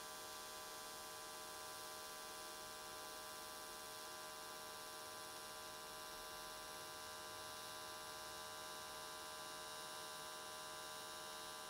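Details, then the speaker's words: AC TIG welding aluminium S13 catch cans, vertical welds, after switching to square wave: even, steady buzzing hum with no crackle or wander, arc definitely more stable than before. "so okay it looks like everything came out really nicely the arc was definitely more stable"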